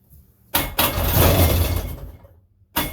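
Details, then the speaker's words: 1999 Sea-Doo GTI, single carb rebuilt, new fuel and oil lines, compression 148–150 psi: two strong cranking bursts with even turnover but no firing. No fuel reaching the carb; owner suspects the supply and return lines are swapped. "sounds like a strong engine we're just got to get gas up there to it"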